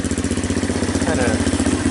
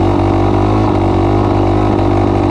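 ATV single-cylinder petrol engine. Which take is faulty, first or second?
second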